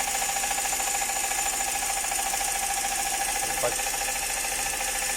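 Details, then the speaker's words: Multicab Turbo small engine run after oil ran out, idling with steady regular metallic knock about three to four beats a second; connecting rod bearing judged damaged from no oil, engine to be overhauled. "buksan natin on makina at o overhaul natin to dahil malaking problema ito sigurado ang connecting R bearing Sira na nito dahil Wala na ngang oil"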